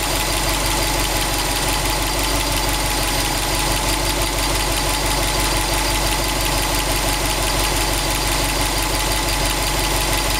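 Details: 2002 Subaru WRX STi, warm idle with oil at 85°C, oil pressure 1.8 bar and 21°C outside, 800 km after a short block replacement: a fast, uneven metallic ticking knock at about three per second; internal knock, source unclear.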